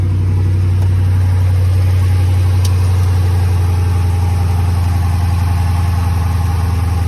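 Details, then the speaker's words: Salvage-auction car with 5.7 V8, 143,000 miles, rear-end damage, no check engine light; deep, even V8 idle with a steady burble, no misses, knocks or ticks; normal idle. "Yeah, it don't seem to be running bad at all. All right, let's see what it sounds like. It sounds decent. Ain't too bad, ain't too bad."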